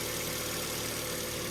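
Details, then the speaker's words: Fiat 500 idling with a constant airy hiss and faint high whirr; first thought an air leak, mechanic now thinks a worn alternator bearing; not confirmed. "I think that um alternator bearing is um is spinning and it's uh it's that's the noise you can hear so it's not it'"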